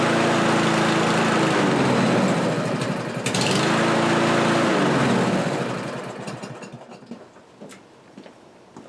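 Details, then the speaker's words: Kohler-engined lawnmower after carburetor replacement: revs hold, then sag and pick up in slow waves before dying, hunting up and down; owner suspects it isn't getting enough fuel and plans to adjust the new carburetor's metering screw. "okay well as you can see it's hunting up and down there but there is a metering screw on the side of that carburetor that wasn't there before what i'm going to do is i'm going to see if i can adjust that because it sounds like it's not getting enough fuel"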